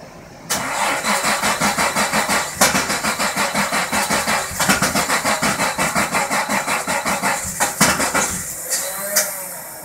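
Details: 1977 Datsun 280Z, starter chugs steadily at about three compression beats a second for several seconds and never catches; crank no start.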